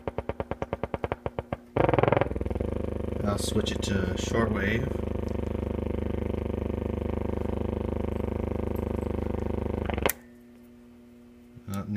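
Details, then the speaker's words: Silvertone 4586 tube radio, just recapped and dim-bulb tested, on wall power: steady buzzing hum with rasp, unchanged while slowly tuning the AM band back toward 550; much quieter on shortwave; one 6F6G output tube barely lit, fault not yet traced. "what you're hearing me slowly tuning through the am band this is all the noise i get going back the other way the dial back towards 550."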